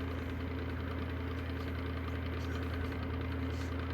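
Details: Electric fan motor running with a steady low hum and an uneven rough grumble; owner says the bearings are bad and the fan is unusable like this.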